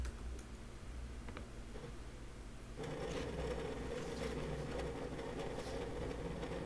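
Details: WD Red Pro 20TB NAS hard drive (9 platters) in a small plastic NAS enclosure at peak load test: quiet hum, then from about three seconds fast dry ticks and chatter, about four per second; pretty noisy but normal seek noise for large enterprise drives.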